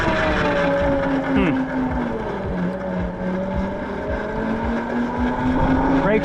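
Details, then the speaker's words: Tuttio Soleil 01 e-bike, new build, riding in touring mode: light regular clicks about three a second over motor whine, following road speed; rider unsure if the brake rotor is hitting something. "Oh, completely different sound. Got like a clicky noise. Can't tell if the brake rotor's hitting something or what."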